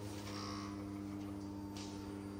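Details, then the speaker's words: Steady low electric hum at fixed pitch with engine off: fuel pump priming at key-on on an LS-swapped Nissan S14 before its first-ever start; fuel leak heard afterward, fuel pressure unverified. "okay turn the blue one off and turn it back on again just close the lid yep then open and on right it's drinking gas I just heard fuel pumping turn it off and turn it back on"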